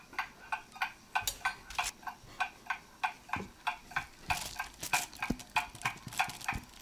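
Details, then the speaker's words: German mantle clock after service, beat amplifier on: crisp, evenly spaced tick-tock at about 95 beats a minute, each beat matching the last; movement running properly and in beat, going to a test stand for 4-5 days. "the movement is running properly now and it's in beat as you can hear"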